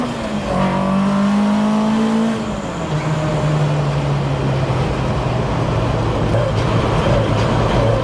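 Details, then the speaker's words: Mk1 Ford Escort driving: engine climbs, drops on a gear change, then steady hum with rough uneven undertone; drivetrain noise, owner suspects clutch since his work van made a similar noise after clutch smelled from heavy towing; unconfirmed. "There's that noise I was on about. Because funnily enough, the work van, after I had to tow something really heavy the other day, the clutch started smelling, and then I noticed that it was doing a similar thing, although it seems less sort of dramatic in the van, obviously."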